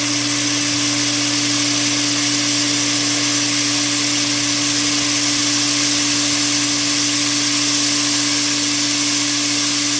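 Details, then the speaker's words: Pool pump on a DE filter with the valve on filtration and the air relief open: steady hum with a constant hiss of air escaping as the system fills and the pump catches prime. "Pump's catching prime. You can hear the air escaping."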